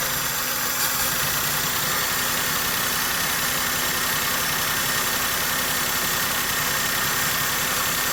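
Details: Maruti Suzuki K-series engine idles with an uneven, lumpy beat of about four pulses a second, plus vibration, mileage drop and pickup loss. This is a misfire from a faulty ignition coil and spark plug, fixed by replacing them.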